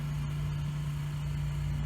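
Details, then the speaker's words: Ford 3000 diesel tractor with Select-O-Speed, back together after Simms injection pump plunger freeing and injector cleaning and testing: steady even low drone and constant hum with no knocks or misses; idles smoothly, ready to work. "but yeah it's running good now now it's all back together ready to work"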